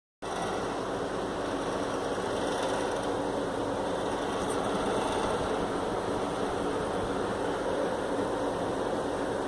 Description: Doesn't do it all the time but when it does it seems to be at night and only when the air-con is on.